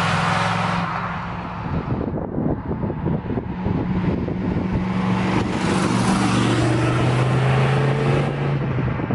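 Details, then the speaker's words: 1986 Camaro IROC-Z with a 350 V8 (apparently from 1974 Chevrolet) on a drive test: steady low howl near 150 Hz rising and falling with road speed over tyre noise; warm rear differential howling mildly, likely most audible on deceleration. "The rear end sounds good other than the normal 10-volt howl after it gets warm. It's starting to make a little bit of noise. It's not bad though."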